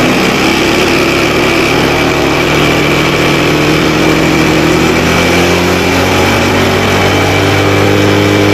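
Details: Motorcycle revved to check charging after reviving a weak wet battery; voltage rises from 13.5 to max 14 volts, under 15, charging normal; pitch climbs and holds smoothly without misses or knocks; normal revving.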